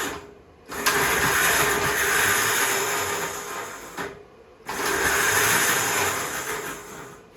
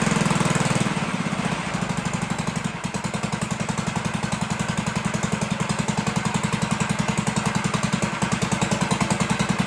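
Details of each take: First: 1958 Gravely Model L walk-behind tractor, long stored outdoors, engine not seized, magneto clicking but no spark seen: two bursts of steady whirring spin, a few seconds each, no firing; starter clutch sticking and slipping. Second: 1958 Gravely Model L single cylinder after throttle hooked up, muffler has big hole, oil checked: steady even popping about three and a half per second, no misses; runs pretty good.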